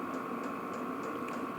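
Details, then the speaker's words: New Vevor 8 kW diesel air heater running in: crisp regular ticks about three per second over steady fan whir; dosing pump pulsing normally, heater working fine. "voilà sinon ça fonctionne bien bon la pompe elle tac tac bien sûr"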